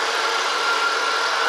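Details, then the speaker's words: Dodge Caravan 3.0 V6 at idle after hydraulic lifter replacement with new end cap and greased journals: smooth, even hum with no lifter ticking or singing; only slight belt squeak. Normal idle, repair fixed the tick. "I hear no lifters singing or ticking. That is great. I'm very happy about that."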